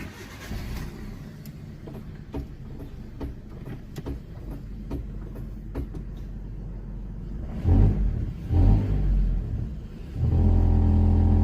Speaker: Evet arkadaşlar şimdi arabayı kalkarken arabadan bir ses geliyor.